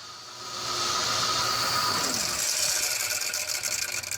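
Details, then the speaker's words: 2004 Ford Crown Victoria P71 Police Interceptor: hissy, high whirring whine with rough, uneven flutter from the alternator; alternator bearing going out, will lead to battery light and stranding. "yep it's the alternative and that ladies and gentlemen is your alternator bearing going out"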